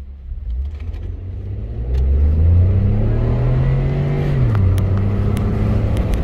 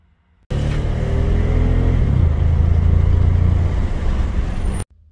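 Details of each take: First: 2014 Ford F-150 3.5L EcoBoost, after repair of rough running and flashing check engine light under load: clean pull under hard throttle, pitch climbing steadily then settling, no stumble or misfire; runs smooth. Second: 2014 Ford F-150 3.5L EcoBoost under load with a flashing check engine light: a lumpy, uneven beat in the exhaust note from rough running, a severe misfire.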